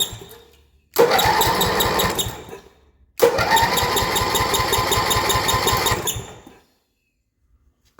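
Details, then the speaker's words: 1978 Yard-Man Snowbird snowblower with 10 hp Briggs & Stratton engine (built 1977), battery clamped with vise grips; two cranking bursts with steady chugging pulses, never fires: no spark, possibly something grounded. "That's much better. No sparkles though. Time to do some more experimentating. Try and get spark, and if something's maybe accidentally grounded, it wouldn't have spark."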